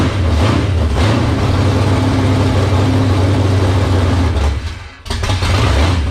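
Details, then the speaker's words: 1978 Dodge D-series Warlock truck with a 360 small-block stroker V8, first start in the truck, cold with no choke, last run on a dyno: a slow, heavy loping idle that nearly dies. Idle speed is set too low, so it will be turned up. "oh i think it's idling a little low i'm gonna turn that up a touch"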